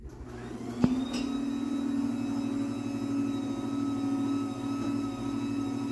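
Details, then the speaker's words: Chamberlain B4603T garage door opener on an 18x7 CHI 2147 door, about two years old, running with the door disconnected after lube and tune: loud steady hum and constant whir after a brief start-up clunk, no quieter than the Craftsman it replaced; normal. "motor yeah so I mean it's pretty noisy it's well it's no quieter than the Craftsman it replaced"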